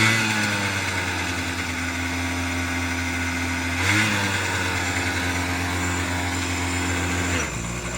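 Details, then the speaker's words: Honda Dio AF-34 two-stroke scooter, warmed up after kick start, idles fast and steady with a faint thin whistle; crankshaft seal leaking air, not heard when cold, causing raised idle. "із-за цього бачите підвищені роботи із-за цього що пускає сальничок Він газує бачите"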